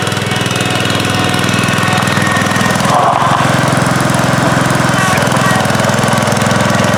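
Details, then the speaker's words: 1971 John Deere 140H3, Kohler K321 single-cylinder, after carburetor rebuild and new float fixed fuel pouring from carb: steady thump at fast even pace, no hunting or popping; normal running. "All right, well, thanks for joining us on this video today. Checking out Anthony's 1971 John Deere 140. Rebuilding the carburetor, installing a new float, and it fired right up."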